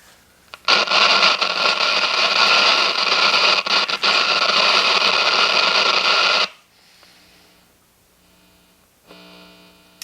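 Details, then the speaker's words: 1957 General Electric model 875 tube radio after filter capacitor replacement, drawing about 23 watts. Playing with hiss, a faint low steady hum shows in the quiet gaps. Residual mains hum. "a little bit of hum there"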